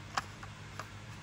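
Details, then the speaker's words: Oppo Reno5 phone power button pressed: two sharp loud clicks but the button does nothing; inner tactile switch is broken and needs replacing. "大きな音がします。これは確かです。確かに内側のボタンが破損しています。"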